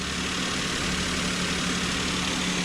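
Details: Maruti Alto with 98,100 km, on a cold start with new engine mountings, AC off: a smooth, steady idle with a constant low hum and no shaking, rattle or uneven beat. The earlier engine rattle and vibration are gone after the fix.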